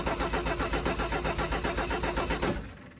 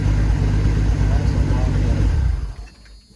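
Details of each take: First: 1984 Ford F250 recovered from flooding, carburetor run dry to prevent starting, cranking without jump box; starter grinds over sluggishly about four turns a second then drops off; weak battery; much faster once jump box connected; slow cranking. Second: 1984 Ford F-250 revived after 2010 flood, cranked on a jump box with boost; quick, even cranking rumble for a couple of seconds: normal cranking speed.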